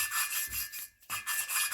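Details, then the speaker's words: Norton 750 cylinder head valve job, valve lapped by hand with rubber hose on the stem for a minute or so; scratchy rasping with each back-and-forth twist, about four strokes a second: lapping paste still cutting the valve seat. "I've been doing this for a minute or so here now so you can still hear the grinding paste uh grinding against that valve Bon seat"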